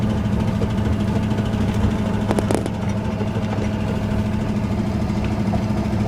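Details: Ford Ranger with 302 5.0 V8, while driving: rough running with deep uneven thumping and a few sharp knocks; worst knock yet, fits a worn rod bearing.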